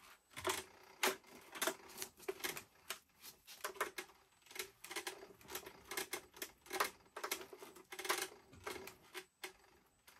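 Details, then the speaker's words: Leaperkim Sherman electric unicycle, switched on and rocked: irregular sharp metallic clinks, two or three a second. Axle bolts first seemed tight, but the clunk is traced to a loose axle bolt, to be retightened. "but when you turn it on and you start rowing it it makes a funny noise it's all shaky clink cling Noise"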